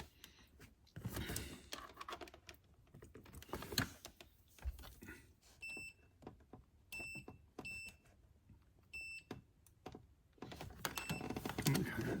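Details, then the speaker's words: C5 Corvette power seat wiring, multimeter continuity test from harness to ground bolt: short beeps drop in and out irregularly, showing a poor, intermittent connection that needs fixing first. "It's making contact, but it's not very good. You hear the beep? There it is."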